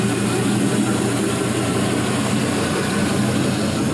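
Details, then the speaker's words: 4.8L Gen 3 LS V8, 175k miles, new lifters, warming up around 145 degrees in closed loop, about 42 psi oil pressure: steady even idle, smooth low exhaust note, no lifter noise, misses, knocks or smoke; normal warm-up idle. "see there's no no smoke or anything funky coming from our it exhaust pretty good [Music] that sounds awesome"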